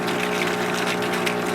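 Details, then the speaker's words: Old pond pump used as a goldfish pond fountain, earlier run as an aquarium filter: loud steady hum with rough watery churn, far noisier than normal; owner notes impellers wear out within about three weeks, cause unconfirmed. "trying to get in here filter is making a hell of a noise I don't know what's wrong it listen to this"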